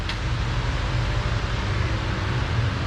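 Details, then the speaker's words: 2003–06 Chevrolet Silverado 1500 with a MagnaFlow muffler of unknown series: deep, steady V8 exhaust rumble at idle with no ticking, rattles or leaks; healthy exhaust note. "Ooh, MagnaFlow. So, you guys like the sound of that? I don't know what series that is, but it's a MagnaFlow."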